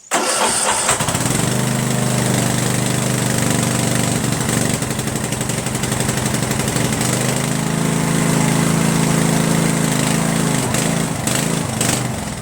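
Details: Craftsman 13.5 mid rear engine riding mower, on choke, after deleting a fuel solenoid that opened and closed intermittently, hardwiring the magneto kill wire and fixing the throttle cable: brief crank, catches and settles into a steady, even run without misses or surging.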